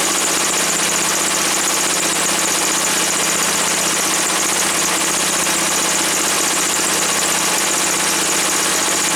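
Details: Woods 6180 zero-turn mower, 18 hp Briggs & Stratton Vanguard, after carb cleaning: loud, steady drone at one even speed with no misses or surging once the air filter top was removed; owner suspects a plugged, oil-saturated filter.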